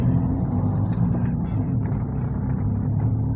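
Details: Toyota Vios gen 3 single VVT-i taxi after a tune-up; it would not start because the cam/crankshaft sensor wiring had been fitted reversed. After the fix it pulls with a smooth, even low rumble along the road, no stumble or miss, power restored.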